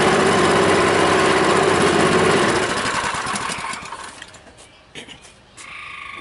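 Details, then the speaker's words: Honda small-engine water pump that wouldn't run: after cleaning a clogged float-bowl jet in the carburetor, it catches and runs with a quick, even putter for a couple of seconds before winding down; normal running (fuel shutoff valve still leaking). "Should start up and run. Not yet. There it goes a little bit."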